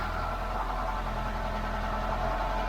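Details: Ford Cortina Mk5 1.6 GL Pinto engine after fitting an Accuspark distributor, choke out: steady, even four-cylinder idle with a smooth, unbroken hum and no misses or stumbles; normal idle.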